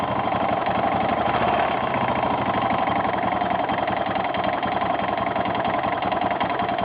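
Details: 1992 Yamaha XT600E (3TB) single cylinder at idle: a quick, even ticking or knocking rides on every beat without changing; the source is undetermined.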